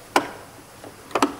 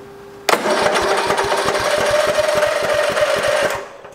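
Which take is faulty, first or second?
second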